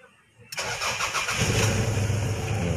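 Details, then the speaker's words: Toyota Corona with a no-start, with a borrowed ECU fitted: a short crank, then it fires right away and settles into a steady, even idle. This confirms the original ECU is faulty. "Diba? Start agad. Ibig sabihin, sira nga yung computer box natin isa."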